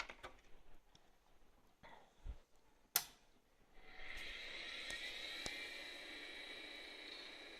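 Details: Amiga 2000 PAL with a SCSI hard drive, controller possibly from a Supra 2000: after a click, a faint high whine rises and settles, with a few soft seek ticks; drive spins up and reads normally.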